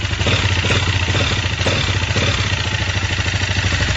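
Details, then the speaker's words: 164FMM single-cylinder motorcycle engine, rebuilt after third-gear failure broke case and piston (new gearbox, cylinder, piston, carburetor): idles with dense metallic clatter on each firing pulse, crankshaft knock; cause found in crankshaft. "Дело было в коленвале стучало"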